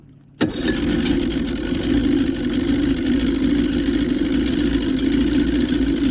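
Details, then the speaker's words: 1977 Johnson 115 outboard on the lake after new CDI, new coils and performance reed valves fires on the first crank into a steady, even idle with no misses or surging; 100% better. "I'll take that. That's 100% better. [Music] idling like it's supposed to."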